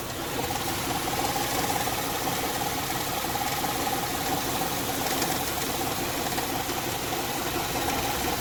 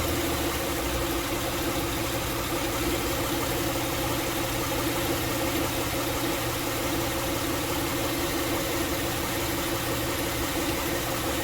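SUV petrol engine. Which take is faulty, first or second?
first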